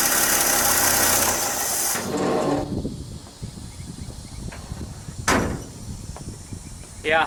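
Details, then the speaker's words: '67 Chevy C10 with a different distributor cap fitted, before more timing was added by turning the distributor: it catches roughly and falls away, then a sharp pop through the carburetor. Timing is too retarded and needs more advance. "it needs more timing. Did you hear that backfire through the carburetor?"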